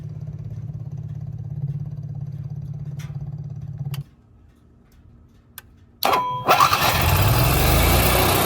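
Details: Onan 4000 KY generator after fixes including new plug, oil, fuel filter and pump, cleaned carburetor, adjusted choke coil, and altitude screw turned until surging stopped: even steady drone, no hunting; running smoothly.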